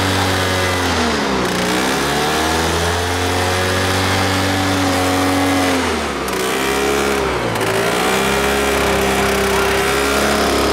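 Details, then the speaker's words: Two-stroke engine on a hovercraft abandoned about 20 years: a loud, buzzy drone with wavering pitch that never builds into a clean rising rev. It sounds rough and lacks power; the suspected cause is the fitted exhaust having no expansion chamber. "It's running right. It doesn't sound right. I'm done with it."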